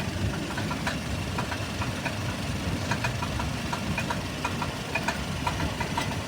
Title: Bad cat or engine knock? 97 tacoma